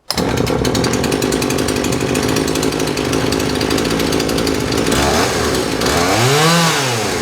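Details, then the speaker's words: John Deere CS52 chainsaw run with its carburetor triggered manually because the plastic trigger is broken; crisp, steady high two-stroke scream that picks up cleanly and drops back smoothly; a very nice running, healthy saw. "This is a John Deere CS52. It is actually a very nice running saw."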